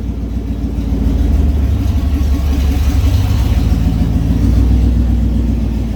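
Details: 1989 Ford F-150, parked and revived, running on open headers with no muffler: deep, raw, booming exhaust swelling as revs rise and fall, described as obnoxious and to be fixed.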